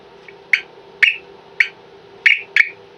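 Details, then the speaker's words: Gardiner Technology Nova 4 (Arrowe Alarms) alarm bell box on a 9-volt battery, though it is a 12-volt system: five short, sharp squawks in about three seconds over a quiet hum; normal chirp on power-up. "And as you can hear, the bell box chirps on power up, it lets out a little squawk."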